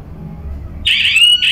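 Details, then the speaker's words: Ghana-made smoke/fire alarm demonstration, triggered by light or smoke and then phoning the owner; quiet room, then a loud shrill tone near three kilohertz starts, breaks once and resumes, alarm triggering properly. "the moment there is light or smoke a little you know light or smoke which changes the temperature or trigger stop making noise then send the phone call to your phone wherever you are"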